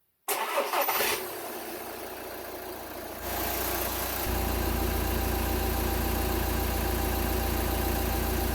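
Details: Seat Exeo diesel after fixing a check-engine light from DPF blockage and sensor faults (P2453, P2452, P2002): it cranks, catches, settles to an even clatter, then holds a steady higher rev with no misses while DPF pressure is graphed; warning lights now off.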